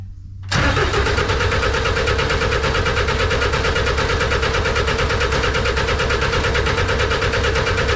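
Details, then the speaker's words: Snowcat turbo diesel first start after bleeding the fuel system. Steady cranking at about two beats a second that never catches. No-start because the fuel pump fuse was missing. "well it would probably help if you put all the fuses in so I uh was missing one on the fuel pump so put that in"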